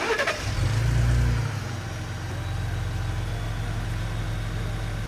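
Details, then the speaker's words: Ford Raptor 3.5 twin-turbo engine after repair of a severe timing sprocket and camshaft rattle present at startup and idle. Now it catches at once and settles into a smooth, quiet idle with no ticking; road test normal. "这个声音可谓是相当纯粹了，既平顺又安静。"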